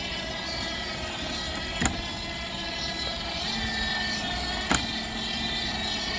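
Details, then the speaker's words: Dolphin S300i pool cleaner, which would run a second then stop: steady motor hum broken by two sharp clacks about three seconds apart; drive track suspected worn and skipping a cog tooth, or possibly a belt fault. "i wonder if these tracks are just worn i think you can get the tracks they might be skipping a tooth"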